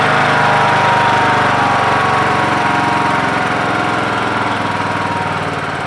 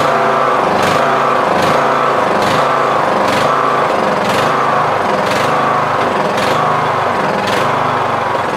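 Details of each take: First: MTD Yard Machines lawn tractor with a 20 HP Briggs Intek engine and CVT, after the carburetor was replaced (earlier carbs surged) and the air adjusted to balance the mixture: steady, even thump with no surging or hunting; running clean. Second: Yard Machines MTD lawn tractor, 20HP Briggs Intek, 46" deck, Nikki carb: engine note rises and sags about once a second, hunting steadily. Surge; mixture screw broken so cannot adjust.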